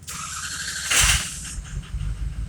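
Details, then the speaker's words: Truck at 288,189 miles, after starter replacement: short squealing crank that catches quickly into a rough low idle, turning over briskly and faster than before, starter sounding healthy; normal cranking and start. "that doesn't that I think that sounds a hell of a lot better than it used to"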